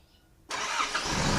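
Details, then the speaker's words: Isuzu D-Max 4JK1 diesel starting on an overnight-uncharged, recently replaced battery after starter motor replacement, previously cranked 4–5 seconds as if the battery were weak: silence, then it catches almost instantly and runs steadily, normal start. "สตาร์ทครับที่ยอติดตอ่าปกตินะครับไม่มีรางซึ่งแบตรุ่นนี้ก็ไม่ได้ชาร์จนะครับ"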